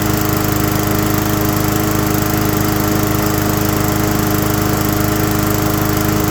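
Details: Abandoned mower after a tune-up and carb work: steady, even drone at full throttle with no surging or rattles. Most of the earlier heavy vibration is gone, with a little remaining.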